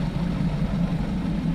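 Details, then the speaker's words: 2007 Mazda 3 2.3L after head gasket and resurfaced cylinder head install, warm with temp gauge steady: a smooth, steady low idle with an even pulse and no ticks, misses or rattles. An earlier coolant spill is unexplained and has stopped. Normal warm idle. "My idle is nice and steady right now."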